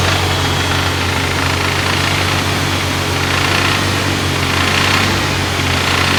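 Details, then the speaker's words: BMW E34 with M50B20 engine, starts easily: a busy metallic rattle over the engine at held revs around 2000 rpm, continuing to the rev limiter and absent below; VANOS knock suspected, source unconfirmed. "шум появляются в районе 2000 оборотов штук и продолжается до отсечки"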